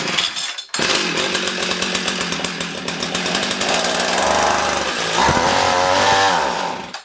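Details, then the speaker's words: Old small two-stroke ice auger, started with choke on after spraying starting fluid, before carburetor adjustment: catches and buzzes, wavers and surges unevenly, then dies after about seven seconds; engine stalls after starting. "why does it keep dying out"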